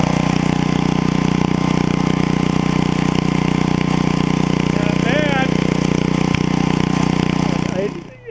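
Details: 8hp Briggs & Stratton engine from an estate-sale generator runs with a steady, even chug and smooth low drone, no misses or knocks, then shuts off. It starts first pull with no exhaust smoke: normal running.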